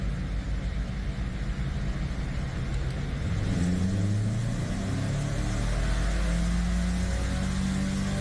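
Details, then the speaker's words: Subaru Crosstrek swapped from FB20 to FB25, on the dyno during cam-timing tuning with exhaust cams set at 10: steady deep drone climbing smoothly in pitch with no misses or knocks; healthy engine under load, 133 hp, 147 lb-ft peak. "oh yeah that sounds so much better definitely took some doing"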